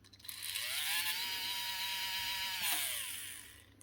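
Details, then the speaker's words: Makita DBO480 cordless sander (2024) that stopped working after being dropped, run on a bench supply at up to 4 A: the motor winds up to a strained whine and dies quickly, lacking power to start. Motor suspected. "That'll run, but it doesn't have the power to get it initially running."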